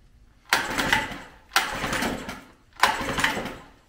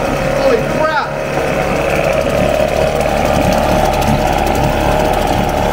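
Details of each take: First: 1994 Mercury 5hp longshaft single-cylinder two-stroke outboard, ran 5-7 years ago, on full choke with throttle mid-position: fires in three roughly one-second sputtering bursts, dying between, with smoke; rough rich running on full choke, cause suspected. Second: 1994 Mercury 5hp longshaft single-cylinder two-stroke outboard, said to have last run 5-7 years ago, first start with the plug back in, smoking, choke being backed to half: steady, even two-stroke buzz at constant idle, no misses or surging; running smoothly.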